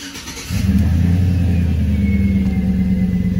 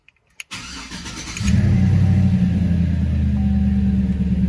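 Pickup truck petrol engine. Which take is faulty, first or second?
first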